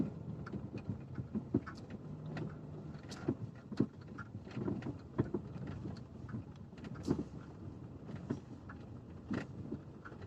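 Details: Lada XRAY Cross with irregular sharp knocks over low road rumble while driving slowly. The noise appeared after a dealer visit; the owner found that the dealer had not replaced the bolt on the splined steering shaft, which was left with play.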